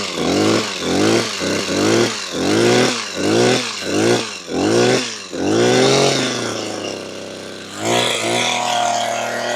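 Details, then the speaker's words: Makita petrol hedge trimmer, about 15 years old, after replacing perished fuel lines that let air in (had bogged and cut out when tilted): clean throttle blips, revs snap up and drop, steady idle; normal running. "Oh, so there we have it. A great repair. It's all fixed, working again, which is great news, because these are not cheap."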